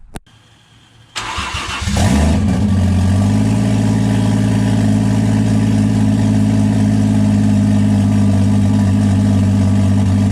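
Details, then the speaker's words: BMW E36 with 1JZ swap, first start with 25 psi oil pressure after earlier starts without oil pressure: brief crank, catches cleanly, smooth steady idle with no knocks or ticks; no apparent damage. "well guys it's going to be more excited that the 1j runs and it sounds good it doesn't really sound like i damaged anything"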